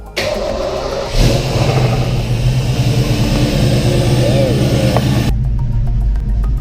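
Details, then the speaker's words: Fox body V8 with bigger cam, heads, lifters, roller rockers, bigger injectors and mass airflow sensor, not yet tuned: deep idle with an uneven, choppy loping beat around three pulses a second, lumpy from the big cam. "Sounds hella good. That shit's so choppy. They need to tune."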